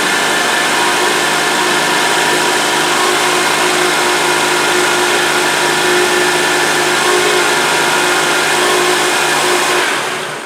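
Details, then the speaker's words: Honda (2002–2008) running engine with a steady, harsh buzz from the power steering pump when turning the wheel; pump draws in air without leaking fluid, fixed by replacing an O-ring rather than the pump. "okay so you can hear that buzzing noise hopefully you can hear it on the on the video but when you turn the wheel you can hear like that buzzing type noise"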